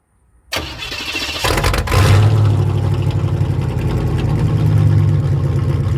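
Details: 1988 Formula Firebird with a 5.7 TPI from a 1992 Z28, after a new AC Delco fuel pump and a burst fuel-pressure hose: quick crank, then the V8 fires into a deep, steady idle with slight lope. Normal start.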